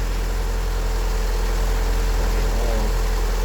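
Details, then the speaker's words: 1988 Honda Accord, cold engine after sitting about two months in January, winter checkup: steady low idle drone with no top-end tick-tick-tick; healthy idle. Separate power steering noise and shudder under investigation. "yeah but the motor's not but the motor's pretty cold still but idling and stuff you don't hear the little tick tick tick"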